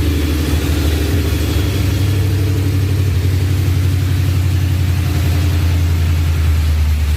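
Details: Ford SVT Lightning V8 with 3.4L Whipple, Trick Flow heads, forged block and cam, after the rebuild. Deep, even rumble with a steady choppy cam lope, sounding healthy.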